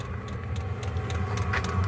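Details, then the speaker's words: Diesel heater running normally with no muffler fitted: steady, even low rumble and constant combustion roar, a bit loud from the open exhaust; fuel pump barely audible; 37 degrees inside. "As you can hear it running. You'll get no muffler in it right now. You can hardly hear a fuel pump inside."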